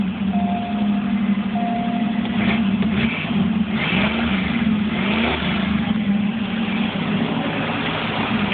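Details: 1982 Cutlass 267 V8 two-barrel dual-jet carb, just after first start following carb rebuild, cold and not yet adjusted: fires and holds a steady, fairly even cold idle without stalling, music in background; normal running.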